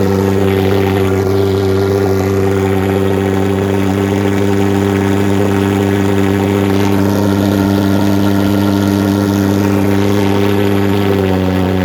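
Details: Vectorfog H100SF gasoline pulse jet thermal fogger on VP Racing canned fuel, started by holding the start button 8–10 seconds, solution tank shut: loud, steady buzzing drone at a fixed pitch throughout; running smoothly, normal running.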